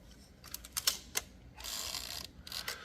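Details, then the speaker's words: Olivetti Lettera 22 typewriter escapement: several sharp ticks, then a fast dry ratcheting rasp as the carriage returns and drags across the dog; there is no silent return, so this is normal operation. "as it draged across the dog so there is no silent return on this"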